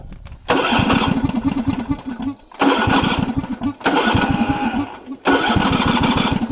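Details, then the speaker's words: Ride-on lawn mower whose carburettor fuel cutoff solenoid was hacked off and may be sticking: repeated cranking bursts, the engine catching briefly and dying each time, really struggling, likely from fuel starvation. "really struggling"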